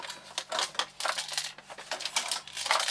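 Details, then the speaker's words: Laptop shaken, dry clicky rattles in uneven bursts from components that dropped off the main board due to battery leak corrosion. "Those parts you can hear rattling around in there are actually components that have actually just dropped off the main board due to the battery corrosion in it."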